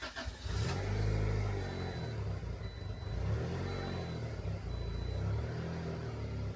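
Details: Turbo Honda Integra after resoldering the fuel pump wiring: rough, uneven low rumble swells and sags without ever climbing cleanly; engine bogs and won't rev, cause unconfirmed.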